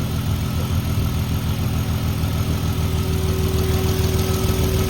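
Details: VW Mk5 R32 after thermostat housing and crack pipe replacement, first start while burping coolant: even, steady low idle rumble with no misses, ticks or knocks; coolant circulating, hoses firm, no leaks so far.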